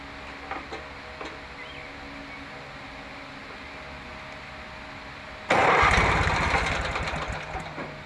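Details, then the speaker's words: Lawn mower with muffler blown out by backfiring, cranked with safety switch unhooked: steady chug about four per second that never catches; no-start later traced to a faulty ignition coil, running after new coil fitted. "Move that up the way, huh? Sounds like she wants to start."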